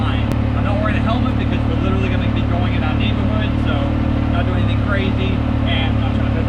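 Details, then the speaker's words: 2019 Yamaha YXZ1000R SS side-by-side, 5-speed gearbox with clutch and paddle shifters, driven around the neighborhood: steady engine drone under load with a thin whine rising with road speed; normal gearbox whine. "So let's take this thing for a quick spin, just so you can hear the gearbox whine and see how fun this is."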